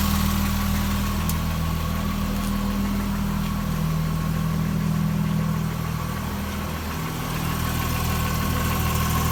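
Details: Jaguar F-Type V6, 8000 km, cold start: steady idle with faint even light tapping about three a second, low on passenger side (LHD), gone after a few minutes; owner suspects piston slap.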